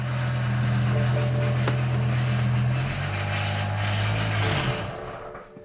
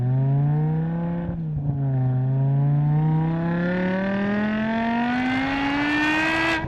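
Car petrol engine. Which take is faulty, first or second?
first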